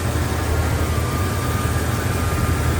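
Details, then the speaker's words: 1971 Cadillac Coupe Deville, V8, automatic: warmed up, choke off and dropped off high idle, settling into a low, even rumble with no stumbles or knocks; normal warm idle. "the high idle, warmed up, chokes off."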